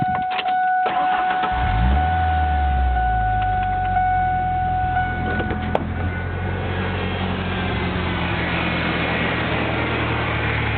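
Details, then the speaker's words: 1997 Ford Ranger, persistent misfire despite new MAF, IAC, plugs and wires twice, coil packs, vacuum hoses: door chime, short crank, then idle pulses and stumbles unevenly; rough misfiring idle, cause unclear. "And as you can tell, it's not idling the way it should be. I'll give it a little bit of gas."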